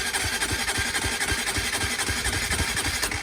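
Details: Low-mileage Honda CBR125 being restored, stripped and long unused, first start attempt in neutral: steady starter cranking at about four pulses a second with a whirring whine, never catching; cranks but won't start, fuel pump priming next.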